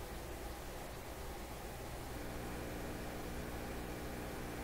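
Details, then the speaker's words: PYE 39HC shortwave broadcast receiver, feedback switch test: low steady hum under constant speaker hiss; mains hum, which feedback positions reduce. "Position 4 is the shortwave position. Pretty good at knocking out hum. Hum is one of the things you can knock out with feedback."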